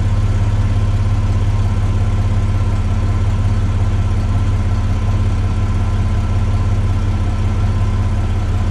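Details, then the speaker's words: Chevy S10 after the exhaust repair, replacing the restrictive factory 2 in twin-cat system: even low rumble at steady idle with no rasp, hiss or leak ticking; tight, healthy exhaust. "That is now how the S10 sounds. I think it sounds great."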